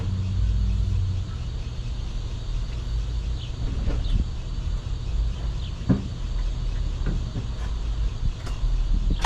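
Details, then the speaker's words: 1975 Chevy Nova V8, sat 35 years, old carburetor, fuel poured down it: deep low rumble with sharp catches as it cranks, fires and settles into a rough but steady run, idling high from vacuum leaks. "Alright guys, look at that. Woo! And she's running."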